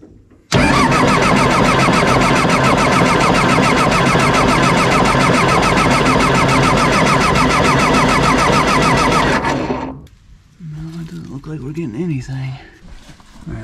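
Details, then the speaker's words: John Deere 755 turbo diesel track loader sat over 20 years, cranking while bleeding clogged fuel lines at injection pump and filters; starter churns steadily about 3.5 beats per second for nine seconds, no firing; fuel and air emerge, fuel looks bad. "we're getting some some fuel and air out of there but man that fuel coming out of that looks really bad"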